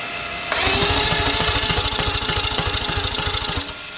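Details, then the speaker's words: Newly built billet four-rotor rotary engine being turned over to prime the oil before its first fire: about three seconds of fast, even cranking pulses, roughly three per second. A healthy, quick starter spin. "Okay, we're good. Sounded good. That sounded really good. That was moving quick."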